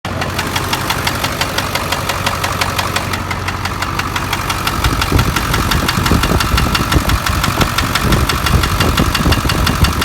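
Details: 2000 Ford 7.3 diesel truck, not started for two years until now: diesel clatter with a heavy, regular knock about three per second that gets louder with revs; still drives with power; owner suspects rod knock, not confirmed.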